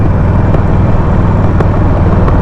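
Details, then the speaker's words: Harley Sportster 48, stage 1, riding and downshifting on PV4 stock map: loud V-twin burble with sharp irregular exhaust pops; too much fuel, rich mixture. "so did you hear all that it's just getting too much fuel"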